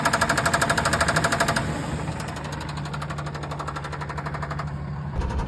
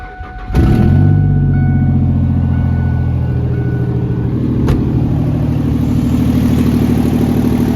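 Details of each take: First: 2003 Ford F-150 single-cab 4.2 V6 on a drive: steady metallic knocking about three per second that follows engine speed, a rod knock; the engine still made spec oil pressure, and the knock was fixed by swapping in a good running engine. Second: 2003 Ford F-150 single cab, freshly swapped-in replacement 4.2 V6 (old one had rod knock), cold start after resealing intake: catches at once and settles into a smooth, even low rumble with no knocks or misses; healthy normal running.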